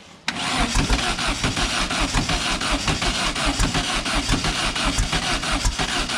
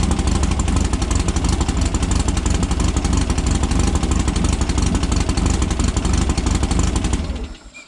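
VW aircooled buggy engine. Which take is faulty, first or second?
first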